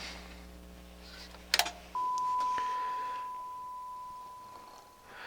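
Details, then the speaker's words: Denon AVR 1705 receiver repaired for going into protect, with the −15.2 V regulator restored, lid on for final test. After a short click, a clean, steady tone near 1 kHz holds evenly for three seconds with no crackle or dropout. Normal test tone output. "Alright, so I've gone through and I checked all the inputs. All the inputs are working great on the analog inputs anyways."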